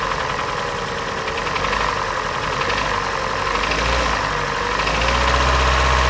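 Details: Hyundai/Kia G4NA engine: steady idle with a sharp hollow knock about four times a second. Teardown found scuffing in the third cylinder, and the engine will be resleeved. Piston slap from scored cylinders.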